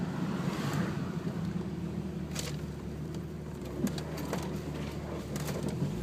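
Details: 1996 Jeep Cherokee at idle: mostly steady with occasional sporadic stumble, misfire on one cylinder; after 10-minute idle heat soak misfires all cylinders under load, wideband reads lean, fuel pressure 45 psi dropping to 15 after 25 min, P0300 code.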